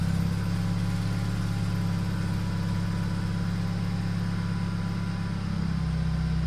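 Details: BMW Z4 with swapped N20 turbo engine after boost-leak repair: steady, even low idle with a smooth drone, no misses, hiss or knocking; known rattle comes from the exhaust flap valve, to be fixed later; idling normally.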